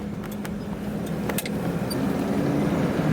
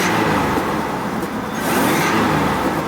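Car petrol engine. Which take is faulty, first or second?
first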